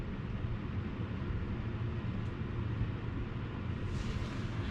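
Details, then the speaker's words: Twin-turbo low-mount Subaru started after sitting a while: a loud, rough, chuffing rumble from a big exhaust leak, with the oxygen sensor left out of its port; leaks are also suspected at both wastegates and a flange. "sounds like we have an exhaust leak oh yeah we've got an exhaust leak"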